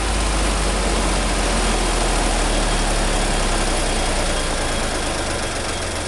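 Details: 1963 Renault N70 tractor diesel after replacing all three cylinders with new ones in October 2013 and 60 hours of running: steady, even low chug at idle, no knocks or misses; running smoothly and healthy.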